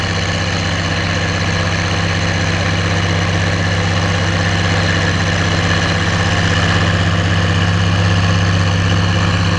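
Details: Oliver 1550 diesel tractor pulling a JD BW disk about 6–8 inches deep, running well once whatever was in the fuel system cleared: smooth, constant heavy hum, firing even throughout with no misses under load.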